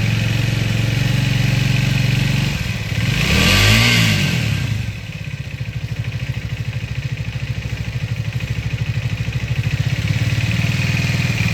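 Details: Triumph Speed 400 (MY25) single-cylinder engine idling with a light, regular clatter, blipped once, then settling back to idle. The owner suspects a shim or the timing chain; the workshop is still investigating.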